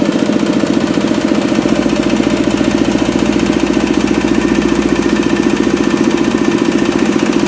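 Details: Kubota RD65DIS diesel running under load on a soil/clay grinder after cylinder head refit and timing check: smoke gone, steady throb near three beats a second with a slight rough rattle underneath from worn engine gears.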